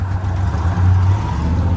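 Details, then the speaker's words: Towed-in Harley-Davidson edition Ford F-150 (supercharged) at startup: a deep, uneven rumble that keeps going only on throttle, stumbling and surging, shaking badly, and it won't idle. Fuel supply fault; new coil packs and plugs are planned. "I don't think it'll [Music] idle it's trying to see if we can get an exhaust [Music] note oh she caming no so yeah she's shaking bad let's shut her down"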